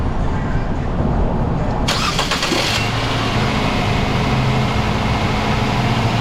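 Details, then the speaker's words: 2012 Nissan Sentra, earlier misfiring, started after the repair with an intake bolt and the cover refitted: quick crank, catches at once and settles into an even, smooth idle with no miss. Normal. "Thing is purring like a fine Swiss timepiece. Best running Nissan Sentra I've worked on all day."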